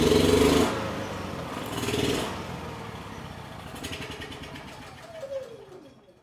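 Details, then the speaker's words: Honda EU6500is generator, about 15–20 years old, after removing water from the carburettor bowl: starts easily, swells and sags, then stalls; restarted with eco switch off it still surges as badly; ran worse, cause unresolved. "It started pretty easily and then completely stalled out. And even after restarting it with the eco switch off, it was surging just as bad as it did before with the wa"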